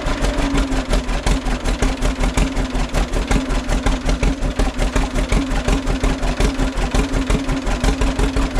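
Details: 1936 John Deere A two-cylinder tractor, just started with compression-release petcocks open, throttle halfway, choke off, being readied for plowing: deep, slow, even two-beat chug at a steady pace with no misses or knocks; healthy normal idle.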